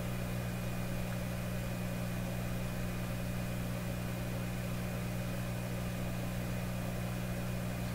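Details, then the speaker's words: Canadian Admiral J104X/J105X console amplifier, warmed up on a dim-bulb tester after an extra filter capacitor was added, with some capacitors still removed: a constant low hum with buzzy overtones; cause not yet found. "here's the amp well it has input humph I have to put those capacitors back in huh son of a gun"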